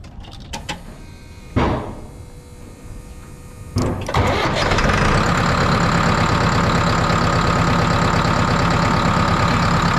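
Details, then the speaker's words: New Holland 6610S tractor, 5.0L Genesis 4-cylinder diesel, first start after head gasket and valve job; fuel system pre-primed, injector lines bled; cranks briefly, fires right up, steady idle, no radiator bubbles, healthy. "Fired right up. I did pre-prime the fuel system and bled the injector lines out."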